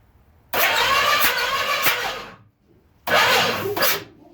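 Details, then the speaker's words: 1970 Pontiac LeMans/GTO engine cranked with a finger over the number one spark plug hole: bursts of hissing air and a squeak, the compression huff used to find top dead center. "you'll be able to hear the huff and the squeak of the air blown past it when that thing comes"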